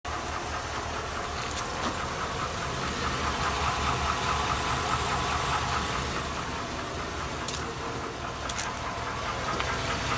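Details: 2002 Chevy Avalanche 5.3L Vortec V8 at idle with a steady, regular tick or light knock that gets louder as the engine warms and is worsening; on 5W-30 oil, rarely driven; owner suspects lifters or rod knock, cause undetermined.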